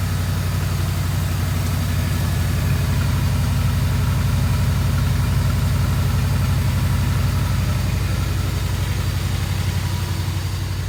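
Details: 1982 Mercedes 380SL V8 running well but idling steadily at 1500 RPM with no dip or hunt, too high; the idle speed control module, which adjusts the idle speed control valve, is suspected.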